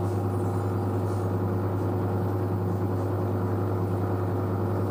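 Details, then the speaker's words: New washer dryer spinning at 600 rpm after a pre-spin: a low, even hum with no thumping or banging, balanced and quiet. The front panel flexes slightly but the machine stays stable. Normal spin cycle. "the front panel flexes a bit there but the actual machine is quite stable so so it's so quiet 600 rpm so"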